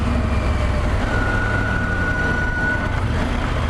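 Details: Triumph Tiger 1200 Black Edition: a thin steady whistle (chiadinho) rises for about two seconds over engine and road rumble when the clutch lever is pulled while slowing for a light or speed bump. The dealer has arranged a warranty repair.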